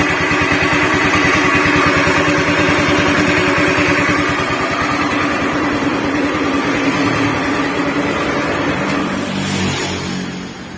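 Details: Honda Beat FI scooter before repair, rough engine noise from the middle of the engine, CVT to be removed to isolate: loud coarse throbbing about three beats a second with gritty rumble; crankshaft bearing rumble.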